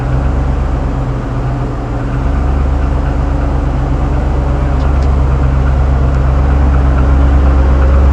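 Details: Owner-reported piston slap, 6.0 LS2 V8 in 2007 Trailblazer SS at idle: faint, regular hollow knock under a deep steady rumble; GM claims normal, refused warranty repair; cause suspected, not confirmed.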